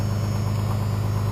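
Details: 1993 Dodge W350 with 6.2L Cummins, 210,000 miles, about 200 miles on the new motor: steady, fast diesel idle with an even low rumble that never settles lower; idling high at about 11.5 psi fuel pressure, fuel screw fully in, can't lower it.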